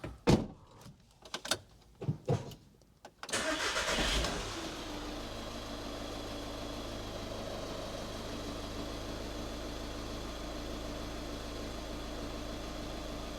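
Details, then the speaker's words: 2013 VW Caddy 1.6 diesel right after a fuel filter change, primed manually: a short crank, then it catches cleanly and settles into a smooth, steady idle with no stumbling or cut-out. Normal start and idle. "Sometimes they run for a few seconds and then just cut out, but usually you can restart them. It might take a little bit of cranking over if you've got a bit of air in there. But that sounds pretty good."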